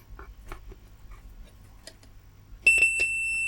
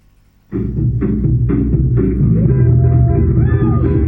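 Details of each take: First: JBL EON 515XT bi-amped active speaker with a bass-only fault: the horn driver, fed a test tone directly, plays a clean steady high beep without buzz or distortion. The speaker is good; the technician suspects a fault on the amplifier. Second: JBL EON 515XT bi-amped active speaker with an active crossover, playing music: full thumping bass but no treble at all, and the treble control has no effect. Only the bass speaker works; the horn/tweeter gives no output.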